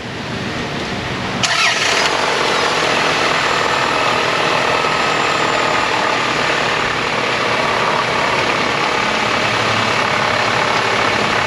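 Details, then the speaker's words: High-mileage (274,987 miles) 1993 vehicle at start-up, listened at engine block: steady hissy clattery rush over the idle; owner suspects timing belt, mechanic agrees it sounds like timing, cause unconfirmed. "they're complaining about a noise on the engine when they start it up and they think it's a timing belt"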